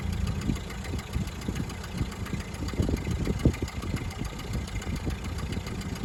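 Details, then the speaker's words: 1929 Ford Model A coupe at startup idle: slow, lumpy engine rumble with sharp puffing ticks from a known exhaust leak, still to be repaired. "another thing that i'm going to point out is that this car has got an exhaust leak which is also going to be addressed"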